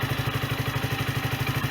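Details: Sinnis Bomber 125 single-cylinder motorcycle, 2661 miles, after service (new air filter, oil and oil filter) and new exhaust (from an AJS Cadwell) and gasket: steady, even idle thump, no puffing or ticking from exhaust; no longer blowing, runs as it should.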